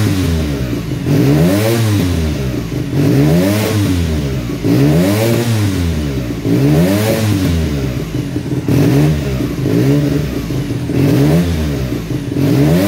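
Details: 1975 Suzuki RE5 NSU Wankel rotary, first start after many years: revs rise and fall roughly every second and a half with rough crackling at each peak, flames shooting from the exhaust as afterfire.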